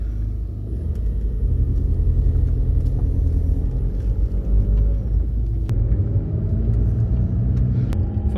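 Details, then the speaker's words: Audi on a test drive after front suspension clunk repair: steady low road rumble with no clunks or knocks over the surface; front end tight, steering smoother, fault fixed. "First impressions are good. Smooth. Excellent. This is a good sign."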